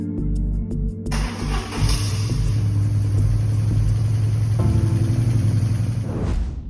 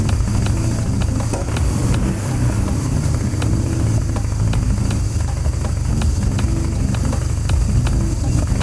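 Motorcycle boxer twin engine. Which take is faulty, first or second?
second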